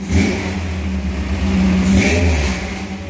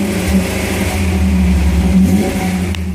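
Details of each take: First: 1978 Toyota Hilux with swapped-in 22R engine, carburetor barely touched, recorded on a phone; deep throaty rumble with two clean throttle blips settling back smoothly; healthy free revving. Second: 1978 Toyota Hilux with swapped-in 22R engine revving, deep rumble with a buzzy rattle on top; loose exhaust pipe vibrating, currently held up with wire or rope until the right pipe is fitted.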